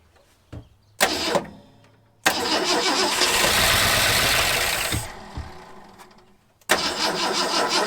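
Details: Long-parked 1974 Ford F100 with gasoline poured into the carburetor: it catches in ragged bursts, sputtering and dying between tries. Owner suspects a badly clogged carburetor and plans a carb kit.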